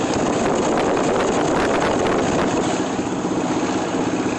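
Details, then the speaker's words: 1982 Volkswagen Vanagon Westfalia full camper, road test under acceleration: raspy, uneven puffing over the engine with wind noise from a hole in the exhaust; engine also misses on acceleration and sometimes starts slowly. "But if I get on the gas a little bit, you can hear the hole in the exhaust a little bit better, and I'll show a close-up of that when I do an interior video."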